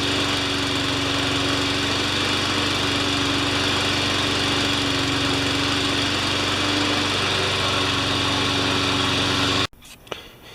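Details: Honda engine on a Craftsman 21-inch mower after a new pull cord, lubricated rewind, air filter, loose valve gasket repaired, oil change and new Craftsman blade: steady, even drone with constant pitch until shut off; runs healthy.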